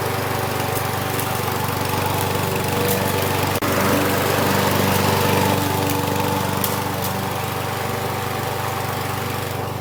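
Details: Husqvarna 6021P Kohler mower engine after the part under the idle adjustment screw was removed and the idle screw adjusted. Smooth, steady drone with no surging; the owner notes it may also just have warmed up.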